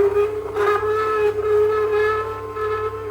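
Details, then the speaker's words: Ninja Cold Press masticating juicer pressing leafy greens (dill, parsley), whose juice lubricates poorly: a loud, steady high squeal with a sharp upper note over the motor hum. Auger squeak. "But, as you can hear, it does squeak quite loudly."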